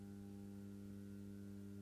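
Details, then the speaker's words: Atlas C420 model locomotive with massive flywheels, running slowly in reverse: a faint, steady low hum at one pitch as it struggles and jerks at crawl speed; motor buzzing at low speed with poor slow-speed performance. "The performance is excellent, but uh not so much at the slow speeds."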